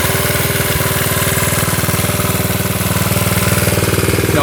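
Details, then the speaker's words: 1972 Honda CT70 single-cylinder, all-original auction bike being revived after a bogging issue, idling and running well; even, steady putter with regular beat, no misses or stumbles; healthy normal idle. "[Music] Running pretty good now."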